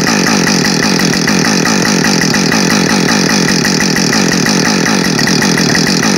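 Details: New Husqvarna 562XP Mark II chainsaw, first-ever run, warming up before timed cuts: steady high revs with even rapid firing, no surging or missing; normal running, found its tune quickly.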